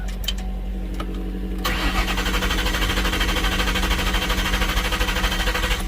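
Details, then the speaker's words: 2000 Ford Mustang GT, abandoned, just had a transmission installed and is jumped with the alternator light on and the exhaust open. Strong, even cranking with good compression never catches; crank no-start. "well it's cranking at least sounds really good has compression good compress ression strong turning okay"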